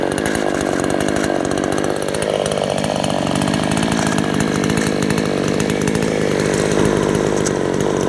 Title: rattling noise